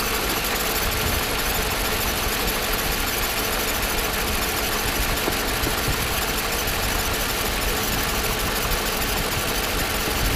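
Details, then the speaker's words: Mercedes SL500 R129 at idle after throttle body reinstall: constant gritty whirring unchanged after silicone spray on the belt; idler and air pump fine, water pump bearing suspected, may need replacing if louder. "noise remains i think your water pump will need to be replaced if it starts to make louder sound"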